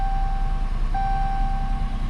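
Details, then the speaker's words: 2018 Dodge Charger AWD police car restarted after JDi Ghost Lock install and key-cycled to prime the fuel rail: steady, even low idle rumble with a faint dash chime; normal idle, working as it should. "Beautiful. So, it is doing exactly what it should be doing at this point."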